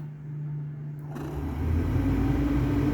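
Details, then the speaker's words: Triumph TR6 heater blower motor bench-tested on a battery, second speed stage: steady hum climbing to an even higher drone, no scraping or ticking; motor works fine, so no need to pull it out. "you can hear that second stage is walking Creek so I know that the fan itself the actual motor works fine"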